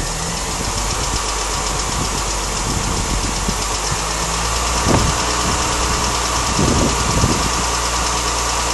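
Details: Mini Cooper S idling with a quick, slightly uneven, light tappety tick, about two a second, over the engine hum; the owner places it around the chain area, heard from inside the car with the window open; cause unknown.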